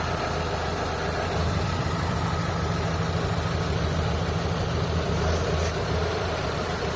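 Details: Mitsubishi Lancer 4G13 carbureted four-cylinder at steady low idle, with a smooth rumble and no misses, knocks or hunting, after carb tuning, distributor timing and vacuum set to about 20; owner complained of hard morning starting and low power, now starts quickly.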